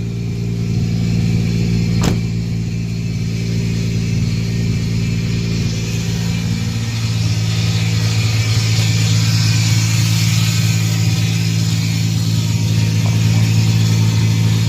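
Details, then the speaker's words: Nissan 350Z with VQ35 V6 idling smoothly while warming up after a new battery was fitted for a misfire; alternator, spark plugs and coil packs had already been replaced. Steady, even low drone with no stumbles; sounds like it's supposed to, no misfire. "So it sounds a lot better. Focus. Sounds like it's supposed to sound."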